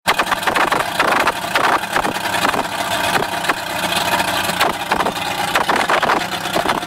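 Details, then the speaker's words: Mercury Bridgeport EFI outboard, after fixing its rich running at low rpm: runs at a fairly even low speed with a steady burble, wind buffeting the mic. Much better but still somewhat smoky. Normal running. "Just done a test run on the engine, and it runs a lot better, and it's still smoky, but nowhere near as bad as it was."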